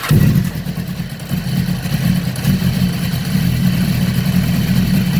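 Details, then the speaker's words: 2015 BMW S1000RR race bike on a lift with fairings off, started after sitting about 6–8 months: catches quickly and settles into a steady low idle, very quiet because the exhaust valves are shut, half restricted; normal start and idle. "Well, it started pretty quick actually. Really quiet. That's because these things are shut right now, right? It's like half restricted."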